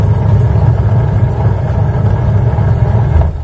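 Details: Washing machine with belt drive, run after belt repair to check an earlier excessive-noise problem: low, even drum-and-motor hum with a soft steady rhythm, no slapping or squealing; belt drive running smoothly, normal.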